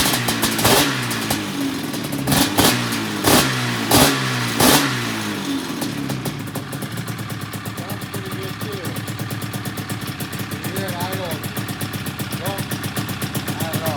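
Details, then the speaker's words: 1997 XC 700 twin two-stroke with early twin pipes, SLP jetting, back on the original CDI; a few uneven blips, then a lumpy stumbling idle with irregular firing and one cylinder skipping; owner suspects a stuck choke, unconfirmed. "Oh, the thing will barely idle."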